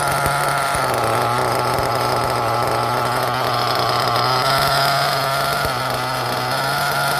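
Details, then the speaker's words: LRP ZR .30 X nitro RC engine at first fire-up: high buzzy note whose pitch wanders up and down instead of holding steady; rpm surging, owner blames the carburetor. "You can already see the carburetor jumps around a lot. Or I mean, you can hear it go up and down."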